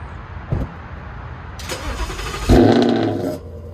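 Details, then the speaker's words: 2019 Ford Mustang GT V8 with Corsa Xtreme active exhaust in quiet start mode: muted start, then a sudden loud exhaust burst for about a second as the valves briefly open before closing; an unpredictable fault Corsa is fixing. "Now, as you saw from that clip, for a split second, the valves open up and you actually hear the exhaust as if it was in normal or track mode, and then it just shuts it back up as if it's programmed to do quiet start mode."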